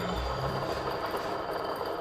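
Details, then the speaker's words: Engine with the alternator belt removed and the A/C compressor pulley spun by hand: loud steady rough hum with a fine grinding rumble, louder on throttle when running; worn compressor pulley bearing. "听这空调泵传出的声音多大呀，嗡嗡的。这种嗡嗡的异响声就是空调泵的轴承出现了问题。"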